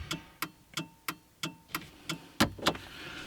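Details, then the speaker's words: Nissan Micra K11 with instrument cluster removed: hazard lights switched on, crisp relay clicks about three per second, evenly paced over a quiet background; hazard flasher working normally, on a very cold day. "oh the hazard lights work that's appropriate i can't actually tell they're on there apart from because of the noise because the instrument cluster isn't there"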